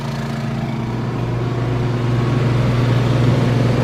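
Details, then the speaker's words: Honda 2200 W generator on propane powering a Dometic 15k RV AC with Softstart: the hum holds steady, climbs a little as the fan and then the compressor load come on, and settles evenly without hunting. Normal load response. "all right the generator just kicked up you probably heard that and the fan is on no compressor yet just fan so the generator is on and there goes the big kick up"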